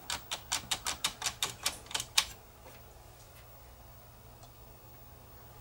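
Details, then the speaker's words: Early-1980s JVC HR-D130 VCR threading tape on one side only. About eleven sharp clicks come in quick succession, then silence; a broken tooth on the counter-rotating plastic threading gears is suspected. "I guarantee you the tooth is broken off of that gear it's only threading one side and we'll hear it clicking probably on the way back down"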